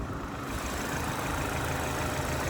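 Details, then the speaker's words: Current-model 25-plate pearl white Mini Cooper salvage car with works kit, 29,000 miles, just started: smooth, even low idle with no knocks, ticks or squeals; engine idling cleanly and healthily. "There you go. Sweet as a bird."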